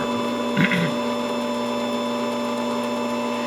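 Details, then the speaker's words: Saeco Intuita superautomatic espresso machine in test mode, grinder test running: even, steady whir of grinder motor at constant pitch, no grinding or labouring; grinder operating normally. "the other one is your grinder and it'll be the same thing with this you'll see uh it blinking and it's actually representing the Revolutions of your grinder gear and your the burst in your grinder"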